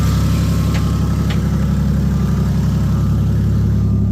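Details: Toyota 1JZ in Nissan Silvia S15, about 2000 km after a poor rebuild, glitter in the oil: steady idle with a regular low knock about four times a second; owner suspects the engine has blown again, cause not confirmed; engine knock at idle.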